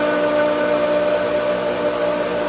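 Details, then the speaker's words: Pool pump restarted after the vacuum line and pipe were sucked dry: steady high-pitched motor whine with rushing, airy tone as it labours to regain prime, then succeeds. "So, she's trying and she will succeed. See there. Okay. Now we can say that we turn the pump on."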